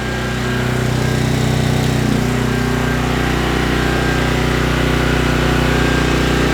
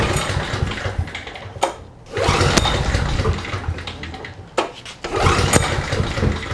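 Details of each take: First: Trash-picked 2005 Craftsman 5600 W generator, 10 HP Briggs & Stratton, warm after about 10 minutes running, 1400 W load applied during an oscilloscope check: a steady, even drone with a constant low hum and no hunting; it runs healthy with a waveform close to unloaded. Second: Trash-picked 2005 Craftsman 5600 W generator, 10 HP Briggs & Stratton, first start attempt with fresh oil and gas, choke on: repeated pull-starts with brief coughs that never catch; a fuel delivery or carburetor problem is suspected.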